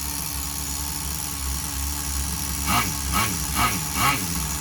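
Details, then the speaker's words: Tamiya TGS-R nitro RC engine on its second tank of run-in, carb at factory settings of 3.5 turns out on the high end and 1¼ turns on the bottom end: soft, uneven, blubbery idle with a few lazy revs; sounds rich. "Sounds rich though."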